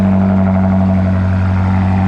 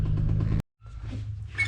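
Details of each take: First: BMW F95 X5M just fitted with a Dinan muffler and blast pipes, cold start before warm-up: deep, steady idle with even low burble, no knocks, ticks or misses. Normal cold start idle. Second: BMW 335is engine at rough idle with a fast, regular deep knock under the rumble from worn rod bearings; crankshaft and rods are considered done and the engine is being pulled.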